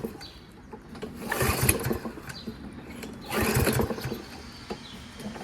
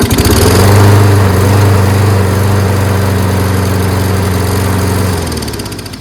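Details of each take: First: Toro 22-inch Recycler lawnmower with Kohler XT675 engine labeled "guaranteed to start": two quick pull-cord whirs with brief chuffing that never catches, then quiet; cranks but won't start. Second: Toro 22" Recycler mower, Kohler XT675 engine, blade brake pad cleaned: strong, even drone about four beats a second, then coasts down and stops on its own; carb may still leak slightly.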